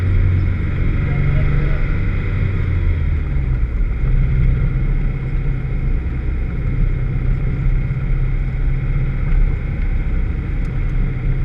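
Engine pulling hard on track with a ragged, uneven exhaust note and stumbling beats under load, typical of a misfire.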